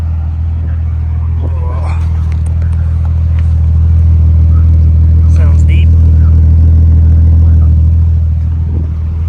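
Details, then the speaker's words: 2000 Nissan R34 Skyline (Bayside Blue) turbo, pre-purchase inspection after cold start, recorded outside the car: deep, steady exhaust burble at idle, no sputter or hunting; muffler sounds good, engine quiet. "all right the muffler sounds really good"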